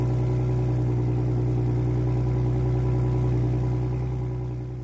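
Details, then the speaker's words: Gen 3 Ford Raptor V6 cold start after the exhaust rattle TSB 22-2388 repair with part ML3Z-5K245-B: smooth, even idle with a steady low hum settling down and no exhaust rattle; normal. "There's been 8 or 9 cold starts on this truck. It has not rattled a single time. Thank goodness."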